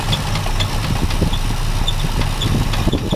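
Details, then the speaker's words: Classic Chevy C10 with 350 engine and cut-off exhaust, just revived after about five years sitting: rough uneven idle with irregular light knocks down low; owner hears a bottom-end noise, maybe the fuel pump, and notes a wobbling fan or pulley, cause unconfirmed. "I'm gonna try to let her idle it's idling rough let's check it out yeah okay I do hear a noise something in the bottom in it sounds like fuel pump pumping"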